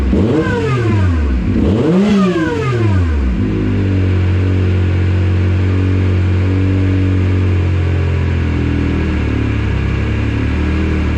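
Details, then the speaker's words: YXZ with Agency supercharger showing 4-5 lb boost but feeling stock: in first gear revs swoop hesitantly, barely respond, burble and almost backfire, then flat drone; engine bogging under acceleration. "you can hear it bogging down pretty bad first gear when I first hit it it barely responds it kind of burbles and almost backfires"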